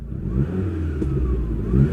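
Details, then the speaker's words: Standard 1994 Lancia Delta HF Integrale petrol engine blipped in neutral: revs rise and fall smoothly with even low note, no knocks; a slight crackle noted, expected to be heard more on the drive; healthy. "Oh, there's a little bit of a crackle there, listen. Yeah, we'll probably hear it more on the drive."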